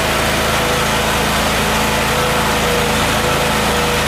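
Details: Miller Trailblazer welder petrol engine after retrofitting an electric 12 V fuel pump in place of the faulty vacuum-operated pump, restart check: runs at steady, even speed with no misfire or surging; normal running.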